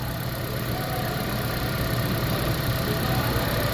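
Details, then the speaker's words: 2014 Toyota Prius V 1.8 L, 167,000 miles, held running in service mode: idle with an uneven, stumbling beat and irregular dips, misfire attributed to a known blown head gasket; block test confirms it. "So we're going to continue testing this because I know it has a blown head gasket. That's what happens on these, and it causes misfires."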